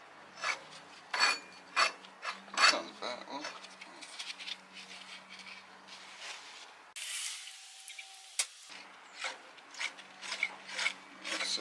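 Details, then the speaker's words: Corvette air pump pulley, spun by hand before serpentine belt retrofit: uneven gritty rasping bursts, rough and dry; bearing sounds horrible, owner hopes cleaning or oil may quiet it. "it still sounds horrible. Maybe after some cleaning up, that'll quieten down. Maybe a little shot of oil."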